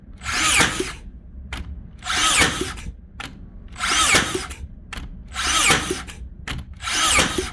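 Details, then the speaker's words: Makita DBN600 cordless finish nailer that misfired and didn't fully sink nails, after greasing in place of new O-rings: five sharp clean firing bursts about two seconds apart; every nail fired, big improvement, though one jammed. "she's definitely firing them shot them all that time that's definitely an improvement"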